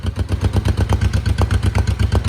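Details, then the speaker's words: 1972 Honda CL350 twin, freshly started and still cold: even, steady low putter at idle with no misses or knocks, settings close to correct before full warm-up check. Finding: normal idle. "Let's see if it holds. Wow, I think this thing is actually pretty darn close to where it needs to be."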